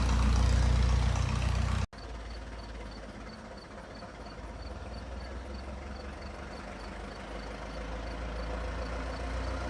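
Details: Restored 1921 American LaFrance fire engine (Licking County Fire Dept.), restoration finished, idling: deep, even low rumble with a steady beat, no misses or knocks over the background; old engine running healthy.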